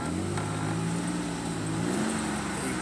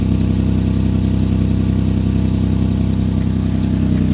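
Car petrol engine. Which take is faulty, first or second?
second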